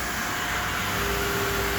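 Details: Tornos CNC lathe making titanium knife screws on a 75-second cycle, filmed inside the machine. A steady, even machining hum with a smooth mid-pitch tone and no knocks or chatter; normal production running.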